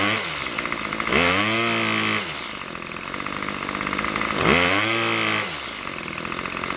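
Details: Craftsman Weedwacker gas trimmer model 316.791191, MTD 27cc two-stroke with Zama C1U-P27 carburetor, after rebuild: crisp buzz idles steady, revs cleanly to a high scream and drops back twice without bogging; running healthy.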